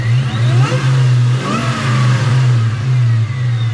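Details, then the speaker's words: Mustang Cobra V8 after injector tuning, closed loop, air-fuel ratio dialed in: throttle blip swings the deep note up and back, settling straight to a steady idle without stumbling; engine healthy. "you can hear her rev up and go right to idle like there's no problem. Hell, we'll go back here. You can hear her just idle just as nice as can be."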